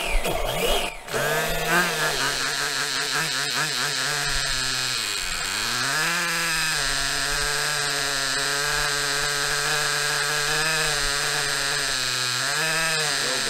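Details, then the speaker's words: Maxy's Cinco 2.0 nitro RC engine on a break-in stand with Bones break-in fuel, temp around 280; idle bumped up slightly, high buzzing idle dips once then holds smooth, normal. "i like to bump up the idle a little bit to help it let me do it from this side the way my arm ain't in the way so bump the idle up a little bit good to"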